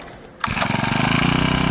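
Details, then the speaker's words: Small Honda engine, primed after not running for a long time, catches at once on a quick pull and settles into a fast, even putter with steady beats; normal running. "Sounds like your everyday Honda Civic. Nice. This thing's cool. I like it."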